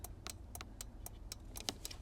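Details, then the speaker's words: Porsche 944 unused for five years and not starting: with ignition on, rapid even ticking about four times a second and hazards flashing; unplugging the unit unlocked the locks, confirming the immobilizer is blocking the start. "I don't know if you can hear that but can you hear that clicking is it what's this"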